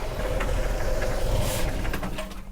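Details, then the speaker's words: 1987 Jeep YJ 4.2L AMC inline-six, carbureted, sat 7+ years, accelerator pump dead: warm engine idles unevenly, loses its beat and dies without help; won't hold idle once warmed up. "Nope. Once it warmed up, it didn't like life anymore."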